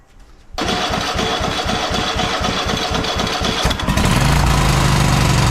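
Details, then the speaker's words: Cub Cadet XT1 LT46 lawn tractor, fresh oil, filter and fuel filter, carburetor initially dry: the engine catches and chugs with uneven pulsing about four beats a second, then jumps abruptly to a high, fast run. The governor needs adjusting. "Okay, as you see it started, but this governor needs to be adjusted."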